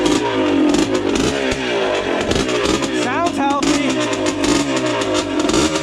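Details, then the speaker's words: Yamaha Blaster two-stroke ATV with light porting, pipe and jetting, after reconnecting a CDI plug; crisp revving that climbs cleanly and pulls hard through gears under music, ridden easy while warming; normal running. "sounds healthy [Music] though I love that sound"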